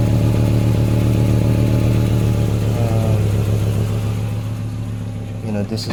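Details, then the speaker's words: 1994 Acura Vigor GS at idle before exhaust pipe replacement; loud rough idle with a deep puffing chuff pulsing with the engine from a hole in the exhaust pipe; exhaust leak. "so yeah uh hopefully you guys did notice that but there's a um there's a hole somewhere in the pipe in there so that's what the car sounds like before i change it"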